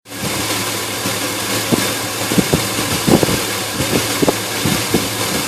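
Engine idles with uneven, lumpy thumps at irregular intervals, roughly one or two a second, over a steady drone; a rough idle.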